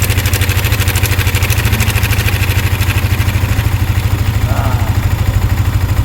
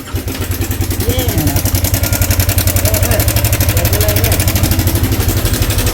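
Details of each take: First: Yamaha Sniper 155 at 15,467 km after cam chain tensioner repair and adjustment: steady, even idle pulse of about three beats a second with no chain slap or ticking. Normal idle after repair. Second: Yamaha Sniper 155 at 15,467 km, brought in not starting, at idle: fast, loud metallic clatter rides over the idle almost twice a second. Slack cam chain slapping; the automatic tensioner had reset itself and its spring had come off.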